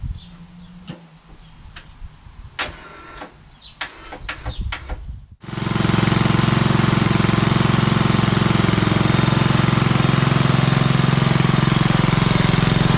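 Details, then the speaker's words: Craftsman LT2000 hydrostatic lawn tractor repowered with Kohler Courage engine, after epoxy oil-leak crack repair: uneven, stuttering cranking bursts with gaps and whirring, then the engine catches and settles; starter seems to slip, suspected, not confirmed. "all right starter's kind of kinky now"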